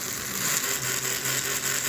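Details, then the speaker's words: Model locomotive with a 2-stroke cam and the smoke heater at 5.5 volts: a light, fast rattle with a hissy whirr at slow speed that smooths out when sped up. Owner suspects a bushing or bearing. "It's got a little rattler noise, not sure why. The smoke heater is at 5.5 volts. It's got some air coming in. Just try to ignore that noise. That's a bushing or a bearing that I'm going to work on later."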